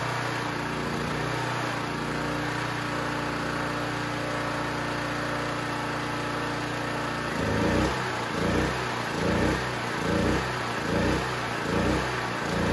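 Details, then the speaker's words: Used Champion C49055 4.5-5.5kW generator, Honda GX270-clone single-cylinder on propane via tri-fuel carb, warm with choke off: runs steady, then from about seven seconds speed surges and sags roughly once a second; hunting, mixture suspected, valves to be checked. "give it a chance to balance out so don't don't adjust a lot too quickly it's going to take a second to settle down it's still hunting a little bit um with a load on it"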